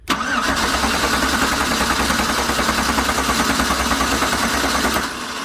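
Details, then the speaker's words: 2009 GMC Sierra 1500 4x4, stolen and recovered, diesel fuel found in its gasoline tank, crank no-start: steady cranking about five seconds with only a few uneven catches while running on propane with a vacuum gauge attached; plugs suspected fouled with diesel. "so I see it blowing the propane back out put a vacuum gauge on this thing so I got a vacuum gauge hooked up to that Port we're going to see if it produces any vacuum a little bit fired a couple times"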